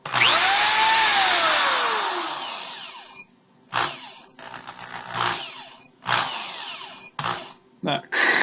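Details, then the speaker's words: Power drill squeals at free speed, a shrill high-pitched whine over the motor that falls in pitch as it spins down; dust and metal shavings inside, brushes had plenty left and were pulled, sanded and refitted, fixing it. "sound that's uh the brushes in here telling you that it's probably time for a change or a cleaning"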